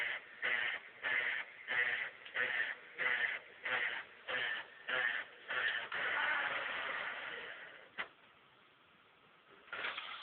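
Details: Xbox 360 disc drive: regular whirring bursts about every 0.6 s, then a longer grind and a sharp click; discs not damaged but console no longer plays games.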